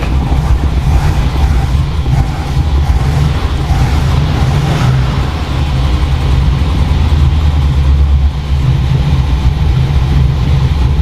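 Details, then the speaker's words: 1978 Plymouth Volare, after rewiring coil shutoff switch and flushing the fuel line: engine runs with deep, fairly steady rumble and slight rise in speed, no misfires or knocking; running well, a few adjustments still needed. "We got a few adjustments to make, but so far so good."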